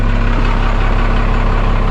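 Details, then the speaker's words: 1991 Freightliner FL70 tow truck, believed 5.9 12-valve Cummins diesel, sat about 15–20 years; in neutral, started right up: deep, steady diesel chug with even low pulses, no stumble, clean healthy idle. "make sure it's in neutral which it is see if it starts starts right"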